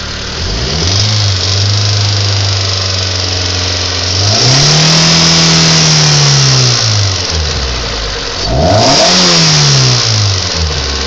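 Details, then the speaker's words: Mitsubishi 4G93 petrol engine idles smoothly, then a ticking appears as it is revved twice, worsening with throttle. Cause is unknown; the owner says lifters, valves, injectors and compression have been ruled out. "She idles nice, but once you give her gas, she's just relentless. Just ticking out of nowhere."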